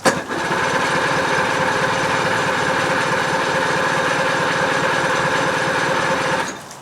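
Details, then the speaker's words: Outboard motor cranked on the starter with spark plugs disconnected while pumping water through to cool it on a hot day: steady cranking about four turns a second for six seconds, no firing. "so i'm going to pump the water through it with no spark and the water hopefully will cool down the motor enough"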